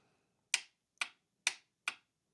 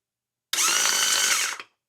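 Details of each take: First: But, when I touch the up direction, you can hear that. That clicking is the solenoid. So, the solenoid is getting powered and physically working. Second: MerCruiser trim pump from a '96 Bayliner, tested on the bench after replacing the solenoids. A short, steady high-pitched motor whine in both up and down directions with fluid pumping; the motor and pump are good.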